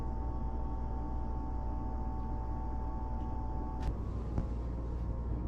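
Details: Dometic Brisk II RV air conditioner on its first start after replacing the start/run capacitor: steady low hum with an even tone, no buzzing, clicking or labouring at start; the unit runs smoothly.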